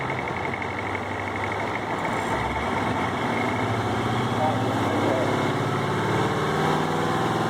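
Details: Cummins VT-903 diesel, suspected bad front fuel pump seals: hard starting in sub-zero cold, no start without throttle, runs past governor, stalls off throttle, heavy white smoke, 22 mph max at 32,000 lbs; uneven loping idle about four pulses a second.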